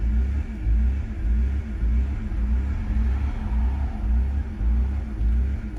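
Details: 2003 BMW 325i, stalling and rough idle with no codes after sitting six months: low uneven rumble swelling and sagging about twice a second; idle control valve cleaned, fuel pump, filter, cam and crank sensors replaced without fix.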